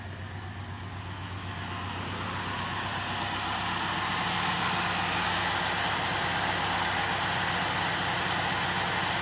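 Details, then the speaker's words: Honda with an earlier rough, erratic high idle around 1000 rpm, after a cleaning job: smooth, even idle gradually settling to 700 rpm with no misses or surging; the engine now idles normally. "at Dito nga guys ay nagnal na yung RPM niya So unti-unti ng bumababa sa 700 RPM"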